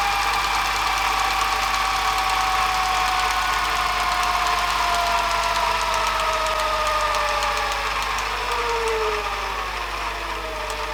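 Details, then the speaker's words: Panasonic NV-HD650 VHS VCR with high hours, after a service including mode switch cleaning: the rewind whir drops lower and slows badly near the tape start, around one second per second at the one-minute mark; better than before but still not right. "we're down around the one minute Mark and it's going very slow again that's a bit more like what it was doing before just around a second ticking over per second"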